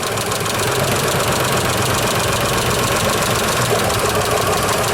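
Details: Isuzu Trooper V6, head gaskets done months earlier, misfire diagnosed by taking cylinders offline one at a time: steady idle with an uneven, lumpy beat; one cylinder still not pulling its weight, rough idle from a misfire.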